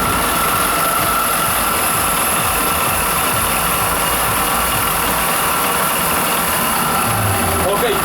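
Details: Honda Elite 125 scooter idling: a constant dry whirring rattle over the engine note, attributed to worn internal bearings. Abnormal engine noise at idle.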